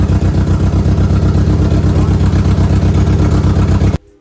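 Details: Audi B5 A4 on a newly fitted standalone ECU, running after the firing order was entered reversed to work around suspected mis-pinned harness or wrongly defined outputs. Rough, lumpy revving with a steady pulse about four per second, then cut off; runs but untuned, lambda issue unresolved.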